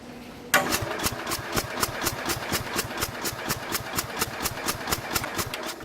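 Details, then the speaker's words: 1969 Bolens 850 tractor, original Wisconsin S8D 8¼ hp engine, unrun for over 3 years, battery charger connected, little throttle: slow starter cranking with weak, hollow compression strokes; owner suspects compression leaking from the cylinder prematurely. "That's not how a normal engine should sound. It sounds like a lot of the compression is leaving the cylinder prematurely."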